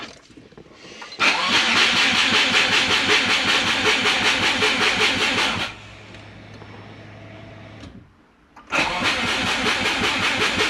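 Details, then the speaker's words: Turbo Subaru with a DIY exhaust manifold, after 5 L of fuel was added: the starter churns steadily at about 160 beats a minute with no pops. The owner suspects flooded plugs again and notes no trigger or home-angle calibration; cause unconfirmed. "getting sick of this. I must have flooded the plugs again. So, I'm getting no pops at all, but we're not getting any calibration from home angle."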